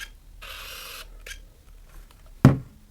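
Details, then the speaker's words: Nikon F801 / N8008 film camera (1988): half-second buzzy whir of the single-point autofocus motor, then soft clicks and a sharp snap; loud terrible-sounding AF noise suspected age-related but confirmed normal for this model. "Вот такой звук. Я поначалу думал, что такой звук это что-то там, может быть, не знаю, от возраста уже что-то испортилось. Но потом, пошерстив блогосферу, понял, что это все-таки норма."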